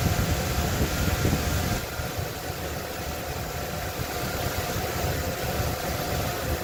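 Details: 1995 Ford Bronco 302 EFI with rough idle and stalling: low, uneven idle rumble. Distributor, timing at 10°, IAT, IAC, TPS and PCV are new; ICM, MAF and EGR checked good. Owner suspects leaking vacuum lines. Rough idle.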